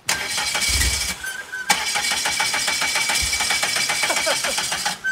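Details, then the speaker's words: Newly bought turbo PT Cruiser on a trailer, parked on a hill: starter cranks at a quick, even rhythm for about five seconds but never catches; crank no start, out of fuel, tank empty. "she's got zero gas just enough to get it on the trailer"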